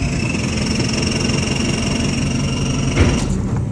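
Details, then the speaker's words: Nissan Patrol with a 4JJ1 engine swap, after about 5000 km: a steady high whirr with no cranking rhythm or compression pulses, then it cuts out; the starter spins but the engine does not turn, flex plate and torque converter separated from the engine suspected, not yet confirmed. "what that noise is the starter motor trying to spin the motor, but because the flex plate and the torque converter are separated from the motor, it's just spinning that around."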